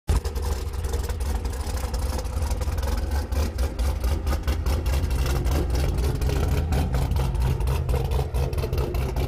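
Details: Chevrolet Camaro at idle: light, uneven tapping about four per second over a steady low idle; the owner asks whether it is piston slap, but the cause is not confirmed.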